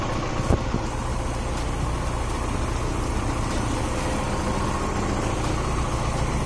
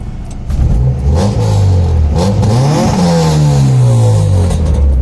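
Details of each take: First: Honda H22A engine idling after ARP head stud install and new intake, running rich, oil leaking at cam seal and distributor: steady low idle with faint irregular tap; unidentified odd noise at idle. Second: Honda H22A after ARP head stud install and head swap, intake setup, running rich on an old tune with no idle screw fitted: throttle blips rise and fall quickly, clean even exhaust note, no misfire or knock, responsive.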